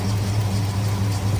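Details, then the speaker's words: Oldsmobile Cutlass 442, 39,000 miles, at idle: low slow idle with deep drone and slight uneven lope; rough idle began about six months ago, sputters on acceleration, exhaust manifold leak present; owner suspects a vacuum line. "definitely Island rough and it it wasn't Island like that before it just started doing that maybe like 6 months ago"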